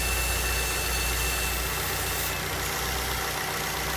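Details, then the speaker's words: 2006 Ford Fusion G1 with toc-toc ticking traced to an intake manifold problem, during demonstration with small hose removed: smooth, steady idle with even hum, ticking gone. "só o barulho parou acabou o barulho tá uma Agora tá tranquilo"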